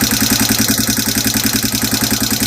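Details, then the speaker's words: 2002 Yamaha TTR225 single-cylinder, brought home with tapping: idle with quick light metallic tick each firing pulse, about ten a second; suspected valve tapping from loose clearance, not confirmed. "Sound like straight shit. I was about to slap the hell out of them both when they brought this bike home, but I think I got it."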